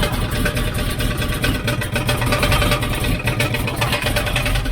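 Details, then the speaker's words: 1972 Chevrolet C10 shop truck, first start after engine swap: quick regular knocking over rough idle, sounds like it's in the bell housing; found to be inspection plate contacting the spinning flexplate, not bottom-end knock. "let you hear what's going on it sounds like it's in the bell housing"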